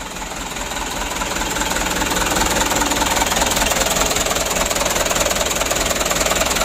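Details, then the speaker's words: Mitsubishi Canter HD 125 PS diesel just reassembled after rebuild: hard, uneven clatter around 150 beats a minute with engine shaking; rough idle, injection pump to be overhauled next to smooth idle and noise. "Rencananya mau kita lanjutkan pembongkaran pumpnya supaya langsamnya dan suaranya ya tidak kasar dan guncangan mesin tidak begitu parah ya"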